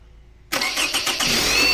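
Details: 2006 Toyota Camry automatic, possibly 2.0, alternator recently replaced: click, then starter spins the engine steadily but it never catches; no fault codes found, fuel and spark being checked. Crank no start.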